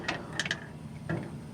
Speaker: Here, now that the propane's burning, you can see that it doesn't set the alarm off.